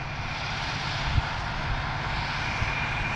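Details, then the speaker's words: New John Deere tractor: steady smooth engine roar with faint high turbo whistle, no growl or knock; running healthy. "sounds like a rocket no growl to these new tractors that sucks"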